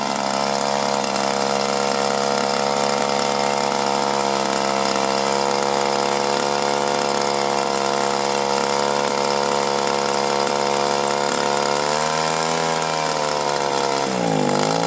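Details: 1983 Echo PB400E two-stroke blower, carburetor never adjusted, fuel filter likely original, warmed up then full throttle: screaming flat out, pitch sags twice and claws back; bogging and surging, owner suspects one of two causes.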